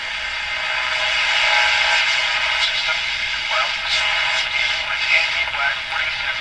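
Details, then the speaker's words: Canadian Westinghouse Model 577 tube radio after capacitor replacement, during a check of suspect volume-control wiring: clear broadcast audio plays steadily with no squeal, dropouts or crackle, and the set is receiving and working normally. "well that's interesting it's working it seems to be working quite fine now"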